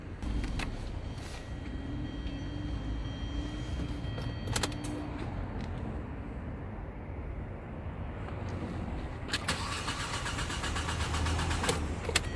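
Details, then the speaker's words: LPG taxi that stalled while driving, started with the air cleaner cover open: drawn-out crank before the engine reluctantly catches and runs rough. Late start because a leaking injector floods the intake manifold and upsets the air-fuel ratio. "The reason the engine started a little late is because the injector leaked"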